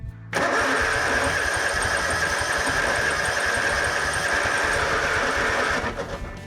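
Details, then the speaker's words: Kawasaki-engined Yazoo Kees ZT Max 42-inch zero-turn mower cranking after electrical connector repair: steady starter whir without firing, fuel filter dry, prime lost; owner suspects carburetor issue or stuck backfire solenoid; crank no start from fuel starvation. "fuel filter looks dry I'm going to try the left hand tank lost my Prime that"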